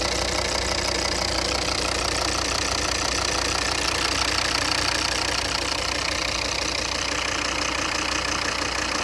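Steady diesel idle with an even knock, roughly three a second, running through it with vibration; a knock from the engine, cause unknown.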